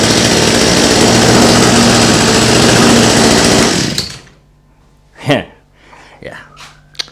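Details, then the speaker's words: Cheap flea-market two-stroke hedge trimmer with a suspected fuel issue: high, buzzy revs held steady about four seconds, clean and even with no stumbling, then shut off; it runs fine. "just as I figured it's it seems to be running just fine for what I can yeah I don't know what 10 seconds is worth"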